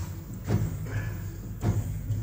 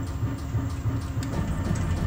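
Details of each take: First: Mercedes-Benz S-Class W222 rear Bilstein DampTronic Sky air suspension shock absorber on a test bench before repair: sharp knocks about once a second over a low machine hum; rod guide broken and leaking oil. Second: Mercedes-Benz S-Class W222 rear Bilstein DampTronic Sky adaptive shock on a test bench, set to firm: even regular thumping about three times a second, no knocks or squeaks; damper working normally.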